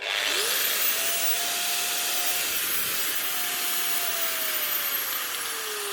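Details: Old 110 V angle grinder after its miswired 110 V plug (wire left in the neutral pin) was rewired and the earth screws tightened: spins up quickly to a steady high whine, no rattle or grind, winds down smoothly; healthy.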